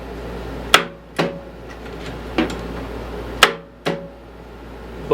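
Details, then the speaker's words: Murray riding mower, brake set, choke on, in neutral: two pairs of sharp clunks as the starter tries to engage and stops dead, no cranking rhythm, flywheel not turning; engine appears locked up. "it's not turning that flywheel at all oh that's not a good sign well it appears that the motor may be locked"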